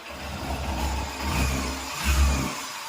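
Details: Yamaha FZ-S motorcycle: deep steady exhaust note rising and falling with two throttle blips, pulling cleanly without knocks or rattles; engine sounds healthy.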